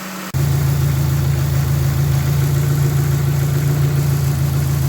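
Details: Dodge Neon stock car during cooling fan relay circuit work: engine catches and settles into steady, even idle with smooth low hum, no knocks or misses; running normally.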